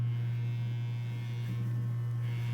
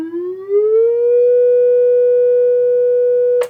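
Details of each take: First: Vintage 12-inch guitar speaker on test tone: dry buzz on steady tone; a likely shipping impact bent the frame oval, pulling the voice coil off-center so it rubs; pressing frame stops it. Speaker voice coil rub. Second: Vintage 12-inch guitar speaker on a power station test bench. A clean, pure tone glides upward and holds steady with no buzz, rattle or distortion, including through the lower frequencies where problems would show; the speaker sounds healthy.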